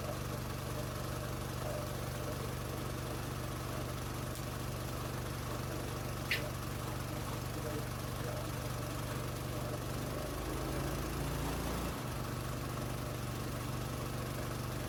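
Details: New gas-powered MaxAir single-cylinder air compressor on first run, filling the tank: steady engine and pump drone, then the note drops and settles to idle as it unloads at 150 PSI; normal running under load.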